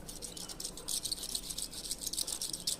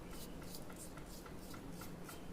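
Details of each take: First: Ventisilva fan, bearings seized and noisy: old worn bearing turned by hand gives dry gritty uneven rattle, while the new bearing is silent. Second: Ventisilva fan new bearing spun by hand: nearly silent, only faint hand rubbing and room hum; the old bearing was noisy and no longer turns, causing the seized, noisy fan.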